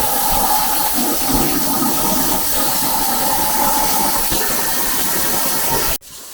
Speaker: Got the plasma table going.